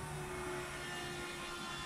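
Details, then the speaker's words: Shelby Cobra replica with 2003 Mustang GT 4.6 V8, key-on after clearing the fuel pickup/rollover valve restriction: electric fuel pump hum builds immediately and holds steadily; reaches 10 psi at once, where before it struggled for pressure. "oh it's immediate now so right now it's giving me 10 pounds of pressure oh yeah it's right away now last time it was a struggle to get pressure"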